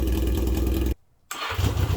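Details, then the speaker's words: Roughly 40-year-old Yamaha XJ650 motorcycle, revived after 8 years off the road, running with its exhaust unbaffled before the new baffle is fitted: a deep, loud, raw, intense blat that drops out briefly and picks back up. "I hope you can appreciate that just grungchiness of that to be in the room with it it's quite intense"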